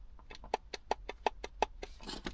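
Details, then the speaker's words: Mercedes W211 cabin blower motor (already replaced with a Nissens unit), removed and turned by hand: sharp knocks about five a second; it hummed as speed rose, whereas a new Mahle motor turns silently. "такий стук в новому двигуні такого не має бути ось новий двигон і такого звуку нема"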